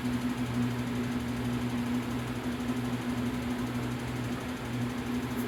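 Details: 2021-2022 Lasko Power Plus box fan B20540, new, first switch-on: even low hum, steady buzz under the airflow, no knocks or rattles. Normal running.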